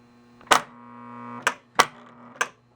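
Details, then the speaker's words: 1966 Williams Full House electromechanical pinball, left flipper after a new coil was fitted: crisp, clean snaps with a short steady coil buzz while held, each flip firm and even; normal flipper actuation. "power's on let's hit that left flipper see what happens perfect"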